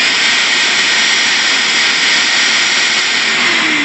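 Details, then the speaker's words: Vacuum with the hose disconnected and the inlet held by hand: steady even high-pitched rushing roar with no wavering, the normal motor sound before the screaming-hose comparison. "you need to know this vacuum sounds like this no hose on it just I'm just holding a Hold by my hand"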